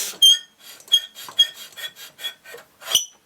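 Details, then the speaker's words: Solex moped with Hungarian-made worn engine, cranked over: dry high scraping squeal in uneven strokes, no firing, binding; found out-of-round flywheel, bad cylinder, poor decompression valve, broken fuel pump; tight engine with squeal when cranking. "oh it's really tight tight squealing sound doesn't sound good"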